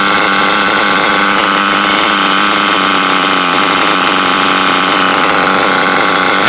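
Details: Small nitro RC engine running: a high, steady, even buzz held smoothly with no misses or sputters; motor running well.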